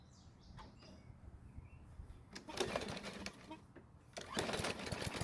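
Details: Mower with a new primer bulb, topped-up oil and fresh ethanol-free gasoline. The small single-cylinder engine putters at a steady speed with no misses or surging, a normal healthy run.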